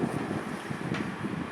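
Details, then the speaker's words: Wet grinder motor after full service and reassembly, running with the drum removed; even, smooth whir with a soft regular pulse, no grinding or rattling, very quiet. Normal running. "எல்லாம் service பண்ணி போட்டதுக்கப்புறம் நல்லா கிளியராக சுற்றுது. Sound ரொம்ப கம்மியாக இருக்குது."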